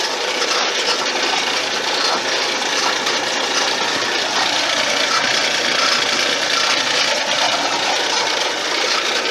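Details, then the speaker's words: Homemade RockCan can crusher machine on its first test run after assembling pulleys and belts, motor driving the crusher; even motor hum with a light rhythmic rattle a bit over once a second, smooth and steady, normal running. "I'll turn that on and we'll turn on that motor and that should give us 80 rpm right now this would be 80 rpm"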